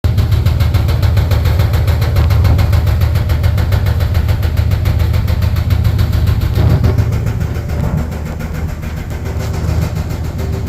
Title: Dryer making noise